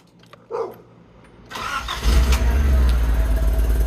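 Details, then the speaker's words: Nissan 200SX S12 Silvia CA20E, first start after installing the distributor, ignition timing not yet set: starter cranks briefly, then the engine catches and settles into a steady, even idle; starts and runs normally. "No way. Works."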